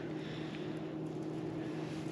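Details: Dewatering pump lowered into a well at the deep end of a pool dig, pumping water out: steady low hum with an even, unchanging drone and no knocks or rattles. Pump running normally.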